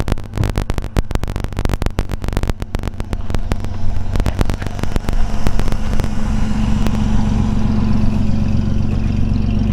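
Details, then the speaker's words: 1932 DeSoto SC Standard 6 coupe, inline flathead six, not driven for a long time, old gas, 45 psi oil pressure, temperature 160–170; a few sharp clicks, then steady even low idle with soft exhaust beat, no knocks: normal idle. "Horn works. We'll get out and let you hear it run here."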